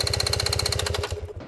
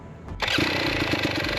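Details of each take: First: 2022 GasGas EX 250 two-stroke dirt bike after a crash and slight flooding: fast even cranking, about fifteen beats a second, never catches and winds down; cranks but won't start, owner suspects fouled spark plug, replacing plug fixed it. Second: 2022 GasGas EX 250 two-stroke after a crash and flooding that left it hard to start; with the spark plug changed it starts at once and settles into a crisp, steady, even idle. The fouled plug seemed to be the cause.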